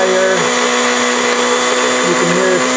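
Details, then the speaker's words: Old blender's series (universal) motor: first on low speed at about 50 V RMS, then voltage raised and the motor speeds up before switching to high for full voltage; a loud, steady whine rising slightly in pitch, normal. "hear it speeding up a little bit. This unit also has a high speed. So when I switch to high, the voltage jumps up, and then the max speed is for full voltage."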